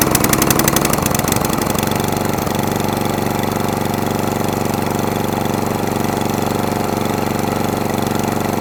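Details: Atco Balmoral 20S cylinder lawnmower that keeps cutting out: after adjusting the jet under the carburettor bowl, the single settles from a ragged start into an uneven, hunting idle. It runs slightly better off choke but still wants choke, and a carburettor clean is suspected.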